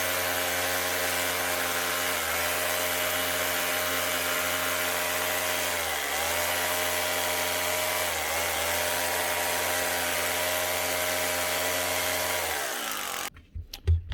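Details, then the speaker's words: Drill with a broken switch, wired for forward only, brushes warm. A steady high motor whine with a raspy edge dips in pitch every couple of seconds, surging with no load, and the motor sparks; the switch is the suspected cause. "motor sparking when running and she goes up and down through the speeds so that's never going to be a good sign"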